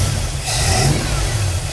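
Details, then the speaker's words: 1965 Ford Galaxie hardtop warming up, engine blipped with a brief sharp spit through the carb; owner thinks the carb needs jetting and the MSD advance springs and timing were never checked, cause unconfirmed. "So I'm gonna leave it sit there and then I'm gonna let it get hot. Got a little pop back."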